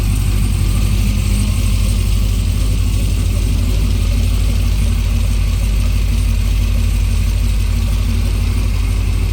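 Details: Supercharged C6 Corvette on its first run after major work and refuelling, fuel pressure about 52–56: deep, steady idle rumble with an even beat and no misses or knocks; normal idle.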